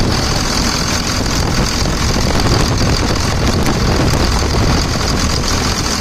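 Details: 2000 Dodge Ram 2nd-gen Cummins diesel after bypassing AC compressor pulley with 65" non-AC serpentine belt: steady, smooth low-rumble idle, no knocks, squeals or misses; bypass judged a success, normal diesel idle.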